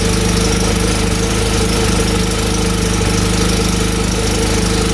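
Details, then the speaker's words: 2014 Polaris RZR 800 UTV after noise fix, belt reinstalled: steady, even engine note with a low throbbing pulse and no rubbing or scraping; noise gone, normal running. "Yeah, that noise is gone. All right. Well, we fixed that problem."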